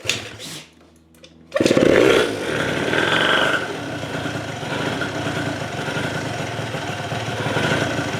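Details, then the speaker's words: Yamaha Zuma (vertical Minarelli) first fire-up on a new Polini Evolution 70cc cylinder kit with lots of assembly lube: kicks over, catches, and settles into a slow, slightly uneven two-stroke idle sitting a bit low; it reaches about 150°. "Little low on the idle, but that's okay."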